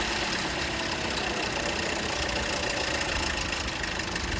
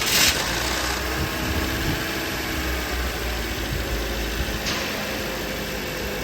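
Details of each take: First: Toyota Corolla at idle and on throttle: fast, light metallic rattle over the engine note from the timing side; old timing chain tensioner stuck and jammed, letting the chain slap; tensioner replaced. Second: Toyota Corolla engine after timing chain tensioner replacement for chain noise: steady even idle with smooth hum, no rattle or chain slap; engine sound normal after repair.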